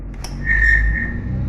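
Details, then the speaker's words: Fiat Idea with GM engine: radiator electric cooling fan turned by hand gives a click, then a thin high whistle that swells and fades. With the car running, the fan makes a tremendous whistling noise. "vou mostrar para vocês como resolver esse barulho de assobio vou girar aqui para você escutar Como é o barulho para vocês ouvirem aí o barulho tá fazendo essa ventoinha"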